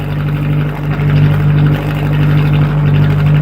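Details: Atomic 4 inboard boat engine running at 40–45 psi oil pressure with temperature rising; a strong, even, low drone with no misses or sputters. It sounds much better than before.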